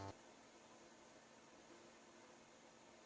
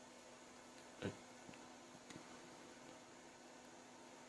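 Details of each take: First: 2011 iMac after hard drive replaced with SSD and second drive: constant airy rush with faint steady hum; fans stuck at full speed because the controller cannot read the replacement drive's temperature. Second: 2011 iMac after its faulty hard drive was replaced with an SSD and a modification was made: only a faint, even fan hum with no roar or surging. The cooling fans are running normally and quietly.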